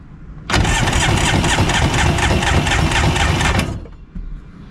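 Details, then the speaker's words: 1994 Polaris SLT 750 jetski, cylinder 2 compression test: brisk, even starter cranking about three beats per second, gauge reads about 120 psi (cylinder 1 read 60-70); compression on this cylinder normal. "This gauge can read a little off, so I'd say around 120 on that one. Cylinder number 2 is good."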